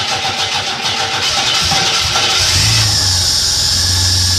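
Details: Bedford CF van V6 with CFI injection, started after replacing the fuel part and priming the fuel line with the pump: cranks briefly, catches, and settles into a steady, even idle with no misfire or stumble.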